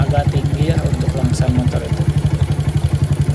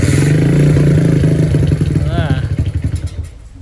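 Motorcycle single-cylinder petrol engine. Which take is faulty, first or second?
second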